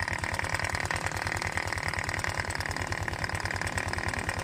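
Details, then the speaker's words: Honda Vario 125/150 scooter spraying radiator coolant, idling with cooling fan removed: coarse, uneven rattly running about three beats a second; oil spatter found behind magneto cover, air leak at magneto-side crankshaft seal, seal to be replaced. "Masih terdengar suara bunyi, ya? Terdar suara kasar"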